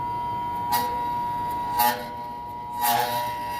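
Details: HVAC unit being assessed for repair or replacement, with its compressors not running: the condenser fan motor gives a steady electrical hum but no rising whoosh of blades. The motor is powered but seized and not turning.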